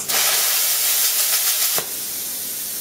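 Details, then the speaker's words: Plasma cutter with its torch converted to pilot arc: pressing the button fires the pilot arc without touching the work, giving a sharp steady hiss that catches cleanly and settles into an even rush of air; normal pilot arc start. "when you push the button the flame automatically should say you don't have to touch it on the field for it to get it to work"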